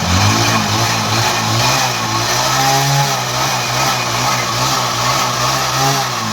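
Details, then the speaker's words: Bajaj Discover 100cc bike run after half a litre of Harpic and 400 ml petrol were poured into the engine: loud, harsh running with a rough buzzing roar and no clean idle; damaged crankshaft bearings, engine needs full opening. "इस तरीके से बहुत ज़्यादा sound आ गया बोले तो full engine open कर लेना पड़ता।"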